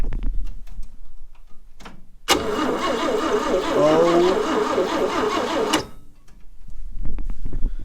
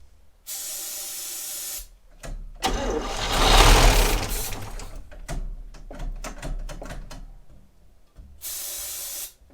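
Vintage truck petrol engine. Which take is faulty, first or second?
second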